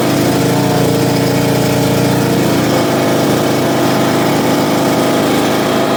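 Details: John Deere LA115 riding mower, 19.5 HP Briggs & Stratton, after drive belt and pulley replacement: steady, even engine drone at constant speed with no knocks, misses or surging; running smoothly and healthy.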